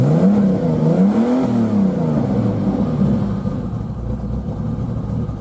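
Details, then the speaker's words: 1990 Jeep Cherokee Laredo XJ, 4.0L six-cylinder, throaty exhaust, usually tries to die but running well now: several quick revs picking up and dropping back cleanly without stumbling; free-revving. "It's running pretty good right now. Usually it tries to die."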